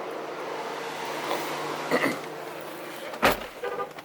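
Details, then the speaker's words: 2015 Cadillac Escalade with the engine off: steady rushing roar of the electric cooling fans stuck on high; code P0128, temperature not registering on the gauge, fixed by replacing the thermostat and coolant temperature sensor. "the car's turned off um and the fan was just running and you can sounds like the the fans are on high really"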